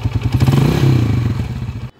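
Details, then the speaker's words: TMX 155 single-cylinder idling before a full engine refresh; a fast, light clatter rides over the firing beat, and the engine is otherwise not very noisy. The noise comes from a noisy timing gear, which is to be replaced. "At ang isang maingay lang dito sa kanyang makina mga kabro, yung kanyang timing gear. Okay, so papalitan natin yung timing gear niyan mamaya."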